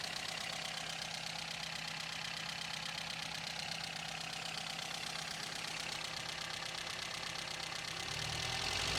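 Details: 1953 Sunbeam Alpine Mk 1, restored, microphone in the engine bay: steady, even idle with a smooth unchanging beat, no knocks or exhaust ticks. Normal idle, engine runs sweetly.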